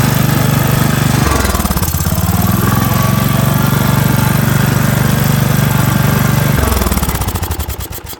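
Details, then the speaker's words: 2006 Cub Cadet LT1045 riding mower single-cylinder runs fast with a hard, even beat, revs dropping near the end as the governor tab is bent; high idle, governor suspected. "I'm going to go ahead and start it up. I'm going to see if I can get the idle to come down."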